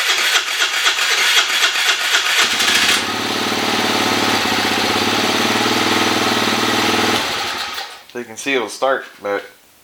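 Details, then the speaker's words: 2013 Kawasaki KFX 50 quad that wouldn't start when bought: several cranking tries, then it catches and runs unevenly for about four seconds before fading; hard starting, owner suspects the carburetor. "so i was going to start when i bought this and it wouldn't start and then came out here this morning"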